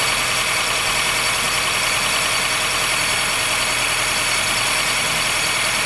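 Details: 2013 Honda Fit Hybrid (FIT3, DAA-GP5, L Package), squeal when air is below about 10°C that stops once warm; steady high scratchy squeal over a quiet idle. Dealer saw no warnings, judged it harmless; source not pinned down.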